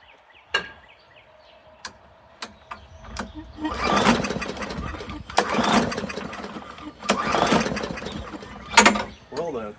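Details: Free non-running push mower after priming and carb cleaner shot: several sharp rope-pull cranking bursts, never catches; no-start.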